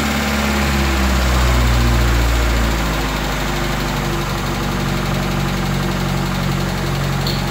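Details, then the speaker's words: 1985 Toyota Tercel engine after carburetor swap and timing work, choke shut off after flooding: catches and settles into steady, even low beat after brief faster run; smooth firing, timing sounds right. "y sounds like the timing's right sick yes all right good work man"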